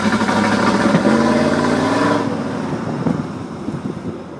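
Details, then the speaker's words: 1995 Pontiac Firebird Formula with 1994 LT1, cold first start of the day, new Opti, ICM, coil, plugs and wires, no codes: idles and drives fine on light throttle, but past a quarter pedal revs stumble and sag, a misfire under load. "It sounds good when it idles. Now a little bit of gas. Goes good with a little bit of gas. As soon as I push it more than a quarter of a pedal though,"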